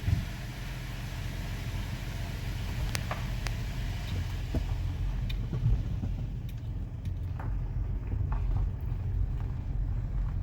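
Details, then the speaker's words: 2015 Kia Sorento 3.3 GDI: brakes that squeaked loudly when cold in the morning, after being sanded with 60-grit and cleaned, now apply with only a low rolling rumble, no squeal; fixed. "Oh yeah. Haha. Sounds good."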